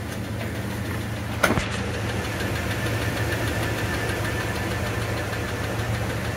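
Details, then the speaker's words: Cadillac GM V8 at cold start-up idle: low rumble with faint dull even ticking, piston slap from a piston loose in the bore rocking as it reciprocates. "that basically is caused by the Piston you see up here at the top it's a little loose in the boore and every time that it comes up and is basically doing this reciprocating motion it's rocking back and forth slightly"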